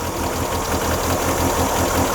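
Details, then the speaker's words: 1997 Mazda MX-5 Miata at idle: loping, slightly uneven pulse, idle fluctuating about 100 rpm instead of holding still; black smoke from exhaust, engine misses and dips on revs. Rough idle. "Let me show you the idle actually. It fluctuates just about around a 100 rpm idling. Uh obviously that's supposed to be still [music] and it's not."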